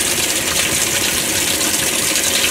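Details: Kenmore 80 Series washing machine that came out of a basement, first test fill on a cold, large-load setting. Steady hiss of water rushing into the tub, even and unbroken throughout; normal fill.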